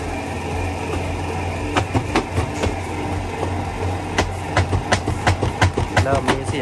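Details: LG WP-1650ROT washer after long use, spinning one wet cloth: low spin-motor hum, then loud hollow bangs about two to three a second as the spin tub strikes the cabinet.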